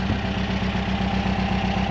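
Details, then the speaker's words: Vehicle idling with a regular lumpy beat, roughly eight per second, running on three cylinders at idle. Owner suspects bad fuel added from jerry cans; not confirmed. "I'm running on three cylinders at idle so I probably haven't blocked idle yet there's some some of that shitty fuel I put in from the Jerry's"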